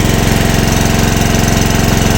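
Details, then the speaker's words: Generator engine on gas (LPG) after its head was machined for gas, under about 2 kW load with the gas valve fully open: loud, lumpy thudding with uneven pulses, shaking and refusing to run well on gas. Misfire. "Ні ну нема результата бачите його тіліпає не хоче на газу"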